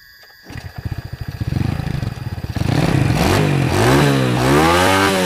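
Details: Honda single-cylinder motorcycle after carburetor cleaning, spark plug found very black, idle and air screw (3 turns) being reset: blipped hard from a lumpy idle, revs climbing and falling heavily; mixture too rich, sooting the plug.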